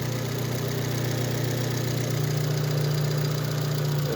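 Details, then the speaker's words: Daewoo Matiz fitted with a Chevrolet Spark 1.2-litre petrol engine, shown at a workshop after the swap: steady, even idle with a smooth low hum, with no knocking, shaking, vibration or misfire. "Bog'olasa ishlashlari qiliq. Titrash, detonatsiya, silkinishi yo'q umuman."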